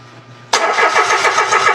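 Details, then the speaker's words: Mitsubishi Mirage that died while driving: cranks briskly and evenly but won't start; scanner showed electrical and ECU fine, no fuel sprays from the disconnected fuel line (should be 50–60 PSI); very dirty fuel, failed fuel pump (or broken pump wire). "O, walang fuel. Dapat pag pina-start natin, dapat malakas yung pressure niyan."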